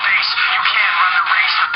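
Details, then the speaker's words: Palm Pre Plus smartphone playing music through its built-in loudspeaker: thin, harsh sound with no bass and noticeable crackling and distortion, which makes for poor playback quality. "C'est pas top la qualité. Franchement, il n'y a aucune basse. Ça crache pas mal."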